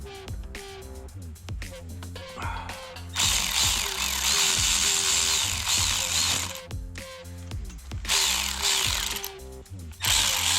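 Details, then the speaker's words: Honda 400EX ATV starter motor after rebuild, previously only clicking; owner thinks brushes were too tight and stopped rotation: repeated bursts of fast high electric whir spinning up freely, no clicking or dragging; starter now working. "all right guys so i just tested the starter and it's starting i think the brushes were just so tight on the uh stator that it it didn't allow it to rotate"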